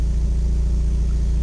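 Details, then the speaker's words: Mazda Miata on a Megasquirt 3X ECU, first start: steady, even low idle with a smooth regular beat and no knocks or misses, holding the 850 rpm target; wideband reads rich at about 12.9 AFR, with slight idle advance. "all right so this sounds actually pretty good and the idle sounds okay"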